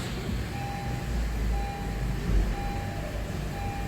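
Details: 2017 Honda CR-V, about 136,000 km, first start after starter replacement (the old starter free-spun): smooth, quiet idle with a low steady hum while a dash chime beeps about once a second; runs normally.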